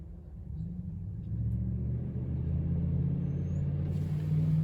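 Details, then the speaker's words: Cooling fans commanded to high speed via scan tool active test on the powertrain control module: low steady hum building over a few seconds and holding even, no rattle or scrape; fans working normally. "we have fan relays okay we got fans high speed we'll turn on the high speed fans"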